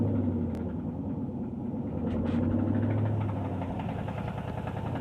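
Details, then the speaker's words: 2012 Mustang GT with a lower-end knock that gets louder with acceleration. Owner suspects rod knock after a lifter check; it has knocked for two months, stalled at 40 mph, and mechanics are unsure. Not confirmed. "Noise is coming from the bottom. Might be a rod knob. Every time I accelerate, it gets louder."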